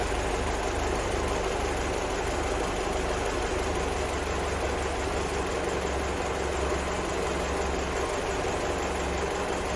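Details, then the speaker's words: 1975 Land Rover Series 3, freshly rebuilt engine running after warm-up and timing set, vehicle parked 15 years before: steady, even idle with smooth low rumble, no knocks, misses or hunting; normal idle. "Right, so I officially have a running Landy."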